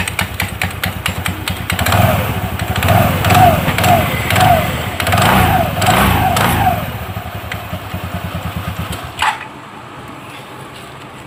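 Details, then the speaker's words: TVS Ntorq scooter after clutch cleaning and refitting, running with clutch cover off: starts and settles into an even idle with steady light clatter, belt neither too tight nor too loose, clutch working properly. "Friends हमने start किया आप देख सकते belt जो है ज्यादा tight भी नहीं है और ज्यादा लूज भी नहीं है अपने पोजीशन में जो है दोस्तों आ चुका है और क्लच हमारा प्रॉपर वर्किंग हो रहा है"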